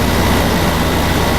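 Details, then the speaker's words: Goldstar 12,000 BTU window air conditioner (about 2004–2005) after fan motor replacement for bad bearings; a piece was trimmed where the fan rubbed. Steady rushing airflow, low hum, no scraping or ticking; normal operation. "but it's not here apparently yeah everything seems to be fine hope it lasts"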